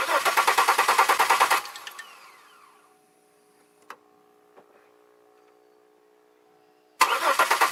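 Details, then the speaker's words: 2002 Chevy Malibu, cranks but won't start: steady cranking about three beats a second, a brief momentary fire, then dies. Spark confirmed; owner suspects fuel side, injectors not firing, possibly the pressure regulator. "hmm more troubleshooting but at least I know I have sparked so that isolates that and now I'm at the fuel fuel side of the house why will the fuel injectors not fire"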